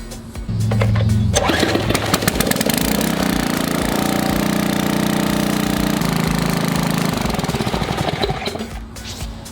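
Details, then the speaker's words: Troy-Bilt pressure washer, about 10 years old, Briggs & Stratton Intek 7.5 HP OHV, after carburetor replacement for no-start from dried fuel: catches after a short pull and runs a steady even drone, no water through pump; normal start and run. "Worked pretty good. You saw it yourself. It took me like nothing flat to get it to start."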